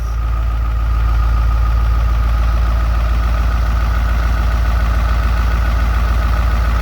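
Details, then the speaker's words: Dump truck diesel engine idling after sitting unrun for over three and a half years, brakes still needing work: steady, even deep low rumble with no knocks or misses; engine running and sounds good. "the beast is running i am excited you know i'm kind of filthy i don't know if you can see me i look like a mechanic but it's running it sounds good"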